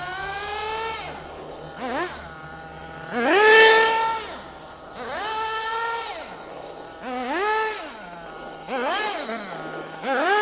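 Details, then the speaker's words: Nitro RC car engine warming up on the floor, air filter not fitted: crisp high-pitched buzz climbing cleanly and falling back in repeated blips with steady idle between; normal revving, well-tuned as it warms. "she's getting warm i can feel on the acceleration already she's getting warm"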